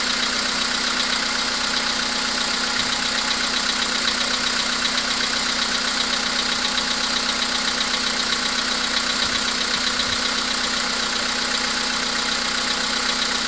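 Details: VW Polo Sedan CFNA engine: steady idle with a fast light ticking knock, about four per second, over a hissy high background; cause unclear.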